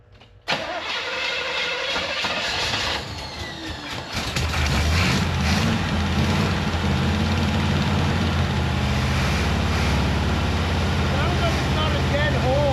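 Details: 1973 Corvette V8, automatic, plug with oversized gap found: cranks, catches after about four seconds, then lumpy, loping uneven idle; running rough, possibly a bad spark plug, cause unconfirmed.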